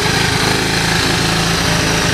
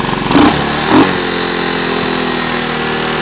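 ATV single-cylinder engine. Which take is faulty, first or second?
first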